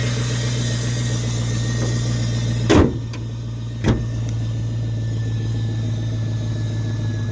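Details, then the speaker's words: LS-swapped 1979 Pontiac Trans Am with cold air intake started and idling steady, even and smooth, a couple of brief clunks from the car; normal idle. "let's start it up for you guys [Music] awful nice and smooth isn't"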